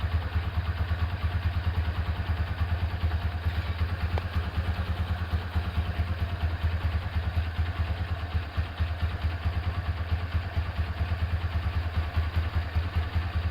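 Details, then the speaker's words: Rebuilt Honda Tiger Revo single-cylinder engine with reconditioned carburetor and BRT camshaft at idle: even, low-pitched thumping with slight carb spitting, which the BRT cam causes; the engine runs smoothly and sounds healthy. "Oke, mesin sudah beres. Karbu agak ngeses ya, ini karena pakai karbu pakai noken as BRT."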